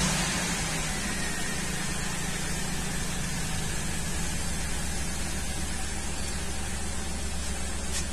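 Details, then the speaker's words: 2003 Ford Windstar 3.8 V6 at idle, plugs changed a while ago, runs rough; cylinder contribution test flags cylinder six: heavy hiss with a slightly uneven low beat; misfire later traced to a faulty ignition coil. "it says which cylinder is misfiring here it says number six you see the negative numbers here indicates donor number six so we're gonna check the spark on cylinder number six"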